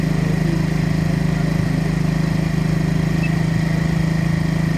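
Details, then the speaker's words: Yamaha Mio J scooter, throttle held open because it stalls when released, hard starting, injector already replaced without cure: single-cylinder buzz, a touch uneven in beat; rough running, engine dies off throttle. "ini gasnya saya tahan ya ini posisi saya gas terus karena kalau saya lepaskan nanti mati"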